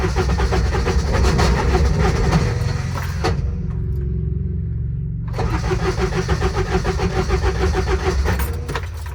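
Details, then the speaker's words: Intimidator diesel UTV, cold, hard start: uneven cranking churn cuts out, whirrs free briefly, then resumes as the starter Bendix slips; diesel won't catch, owner suspects glow plugs not working despite holding switch over three seconds. "that's the issue I have. It's like the glow plugs are not working. And that's the Bendix."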